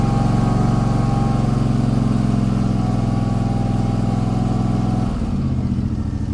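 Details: Gravely ZTR mower after its throttle/choke problem was fixed by rerouting the choke cable to a home-made lever by the seat: smooth, even mid-pitched engine note holds steady, then the engine shuts off near five seconds; normal running.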